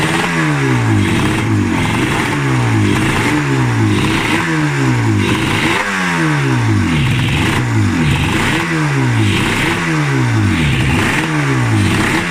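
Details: RD350F1 two-stroke, 31K, revived after decades rotting in a garden: a crisp ring-ding with repeated throttle blips, each rev rising and falling cleanly; it runs and revs after long storage.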